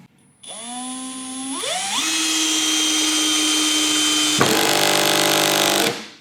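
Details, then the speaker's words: Milwaukee M12 Fuel cordless drill in driver mode, clutch at setting 7, driving a larger screw into wood: motor whine under load then rapid even ratcheting buzz as the clutch slips at set torque, as designed. "could hear that clutch engage, and will only drive the screw so far."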